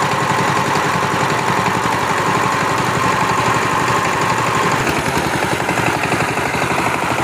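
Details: Power tiller diesel engine after injector nozzle replacement (previously made a tapping noise and would not take load): even, regular thump at steady idle, no misfire or hard knock; normal idle.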